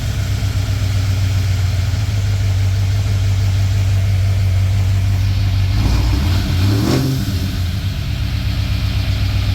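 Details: Ford EB Falcon XR8 302 Windsor V8 after a coolant leak repair: a deep, steady idle burble, then blips that settle back with a slight hesitation, running healthy; owner thinks the stumble is from coolant still pumping through.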